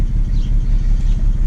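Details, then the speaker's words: 2008 BMW 335xi coupe, morning idle: deep, lumpy, surging misfire with idle hunting and check engine light; scan showed misfires on cylinders 4 and 6; coils 4 and 6 already changed; worse than usual. "for some reason this morning it's actually worse than I've ever been you know it's actually jumping all over the place I gotta check engine code and everything like that"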